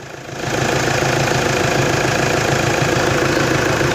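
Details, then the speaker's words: Toyota Hilux D4D diesel after the alternator was refitted and a gap was set between the pulley and the belt: it starts and settles into a steady clattering idle with no belt squeal. Normal idle, belt noise gone. "Ô glória! Acabou a gritaeira da correia. Glória a Deus."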